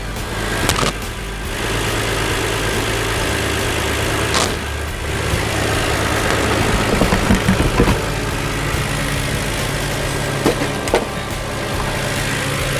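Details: 2007 Hyundai Entourage 3.8 V6, running after a MAF sensor replacement fixed its no-start and P0102 code, before the intake is cleaned. Steady mid-pitched idle hum with some handling clatter and knocks, no stumble or surging; normal idle.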